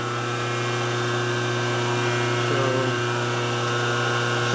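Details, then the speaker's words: Heavy, steady hum with strong fixed tones from a 25 hp motor run on a phase converter, buzzing hard; owner thinks it's sucking a lot of amperage, cause unclear. "buzzing like crazy that's got to be sucking a lot of amperage"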